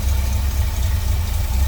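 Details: 1970 Chevrolet C10 with a 350 V8, headers, newer exhaust, Edelbrock carb and intake (possibly Performer RPM). Deep, even V8 idle burble with a steady beat and no misses, knocks or ticks: a normal, healthy idle.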